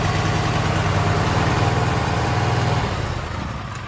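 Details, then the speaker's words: Cub Cadet RZT SX EFI zero-turn mower with 202 hours, crank-no-start fixed by replacing a bad relay: small engine catches immediately, steady even idle thump, no misses; runs healthy. "Started right up. Let's do it again. Hold it. Bad relay."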